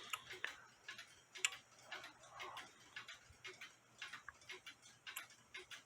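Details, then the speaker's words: Nisshindo 100-day torsion/anniversary clock, plate 1469E, with a replaced suspension spring, heard via a beat amplifier: crisp, even ticks alternating side to side with no limp or double beat, clicking about 180 degrees apart, so it is in beat. "click there and it's clicking about there which is about like I said about 180 degrees apart from each other"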